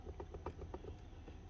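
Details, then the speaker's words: Makita DGA456 18V cordless grinder, 2019, about 6 years old: fast light clicks slowing as spindle is turned by hand, loose stator worn from housing letting rotor rub and rattle; head also had a failed, stiff bearing. "It's not normally a bearing problem. It's normally a stator problem. You can hear it rattling around."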